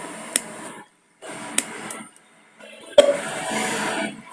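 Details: Mini Bluetooth speaker powered with memory card inserted: music plays about a second then cuts to silence, twice in a few seconds; intermittent dropout, battery connection suspected.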